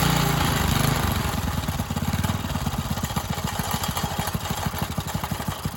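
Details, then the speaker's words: Free Briggs & Stratton tiller engine after carburettor cleaning, fresh gas and starting spray: single-cylinder chugs about three beats a second with uneven loping firing, as if cammed. Lumpy idle. "kind of sounds like she got a cam in her definitely don't like it very much"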